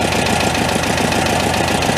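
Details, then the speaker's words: Homemade tractor with Volkswagen engine, long-stored, with massive oil leak (rear main suspected): steady idle with light rapid metallic clacking; engine clatter, owner unsure if bottom end, valve adjustment planned. "the engine was a little kind of clacky too when we started it up I didn't know if it was like bottom end noise or what"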